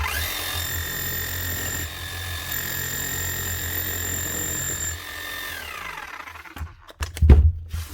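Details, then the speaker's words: 2006 Makita HM0860C 5 kg chipping hammer after burnt-out motor replaced and gearbox fully rebuilt with new seals, O-rings and grease: steady motor whine with even hammering buzz, winding down then clunk as set down; hammers properly. "She will quieten down after a little while of running. That will eventually mesh in again. The important thing is also make sure she hammers."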